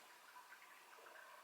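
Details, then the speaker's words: APEC RO/UV water system after fixing a leaking screw-in fitting with JB Weld, water turned back on: faint steady trickle of water draining into the tank, no hiss or leak drip; tank filling normally. "I can hear it draining into this tank"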